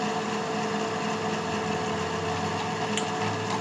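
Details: Noisy cooling fan in a desktop PC (AMD A8 CPU, 12 GB RAM, 256 GB SSD, Radeon GPU) just after a power supply replacement that got it to start up: constant whirring hum with a faint rattle; fan to be cleaned.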